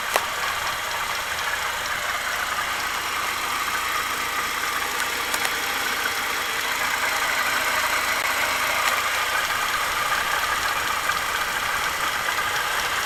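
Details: ZMZ-40904 Euro-3 engine, warm idle; light uneven tapping about three times a second from front of engine, caused by a chunk of the alternator belt base broken off; belt replaced.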